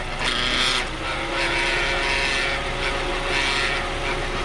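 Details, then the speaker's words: Hyundai Veloster automatic transmission, in neutral; steady mid-pitched drone persists over the running engine, suggesting noise inside the gearbox; recurring fault in this model at the shop, source unconfirmed. "Beleza já já vou explicar mais sobre esse barulho aí para vocês"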